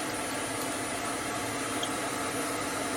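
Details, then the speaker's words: Hope Woodturning MK2 threading jig, router started at 3000 rpm and fed slowly for five turns without the limiter, cutting a thread in beech: steady even high hiss, no chatter, bogging or catching; normal router cutting. "je mets en route à 3000 tours et on y va doucement je vais compter cinq tours comme je n'ai pas mis le limiteur"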